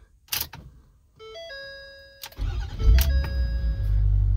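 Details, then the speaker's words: 2012 Ford F-350, 6.7 Power Stroke diesel, about 315,000 miles, after the wiring break was repaired: door chimes, then the starter catches and it settles into a steady, even idle; now starts, runs and shuts off normally. "so anyways we got that running and now it shuts off with the key like supposed to"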